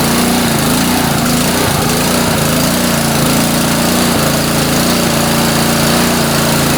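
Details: Honda pressure washer about a year old that wouldn't start because of a plugged carburetor main jet; the small engine catches and holds a steady, even beat at constant speed with no stumbling or hunting. It runs healthy.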